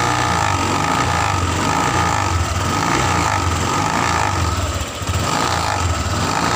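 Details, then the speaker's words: Honda Vario 150 eSP scooter: no noise at low RPM, but at high RPM a fast buzzy "krotok-tok" rattle rides over the engine note from a loose, worn cover (owner thinks a panel cap) vibrating against the body; holding it stops the noise. "Untuk suaranya perhatikan bro, ketika dalam RPM rendah suara tidak terdengar, tapi ketika RPM tinggi ada suara krotok-tok seperti itu."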